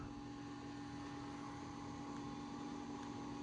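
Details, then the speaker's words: Late 2004 Power Mac G5 1.8GHz (iMac-based) at first power-on test: constant whirring hum with steady pitched tones, fans much louder than they used to be, drive sounding as if a disc were inside though empty; loud fan noise. "It's a lot louder than it used to be. It also sounds like there's a disk in the drive. There isn't, but the drive works."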